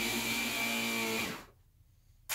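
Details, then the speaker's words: Shark Zero-M vacuum brushroll motor running normally: steady high whine with airy hiss, then quick spin-down and a click; the suction motor is dead, buzzing for half a second. "that so the brushroll motor works and works pretty good"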